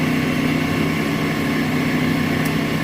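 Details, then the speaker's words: Smithy AutoMate CNC LT1440 lathe after spindle replacement with new smooth bearings, about 65 dB versus 83 before; smooth, even hum with steady low drone and no knocks or grinding; spindle runs quietly and healthily. "So let's see what we got for sound. We'll start it up here. What a difference. 65 decibels about."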